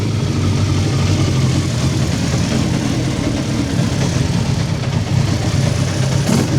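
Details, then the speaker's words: Hayabusa engine in a Nissan Micra, started to run up to temperature before its first drive: loud, steady high revs with smooth blips and an even idle, no dash warnings; a leak was found afterward. Normal idle and revving. "Sounds like it's going to be pretty tasty, doesn't it?"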